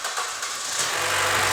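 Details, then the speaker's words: 2013 Chevy Cruze crank-no-start after sitting about a year, drive belt cut off and possibly weak battery; short hiss then engine catches and runs evenly with belt removed, suggesting a seized pulley was holding the engine. "we hear now that it's starting so we're gonna figure out which pulley was holding this engine up"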